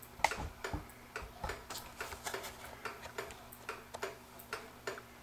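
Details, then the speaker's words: Vintage kitchen clock, just cleaned, oiled, reassembled and leveled: the ticks come in unequal pairs, a short gap then a long one, so it is out of beat. The fix is bending the rod up to the ticker slightly to center it for an even tick-tock. "can you hear that thing ticking the way it is it's not a smooth tip"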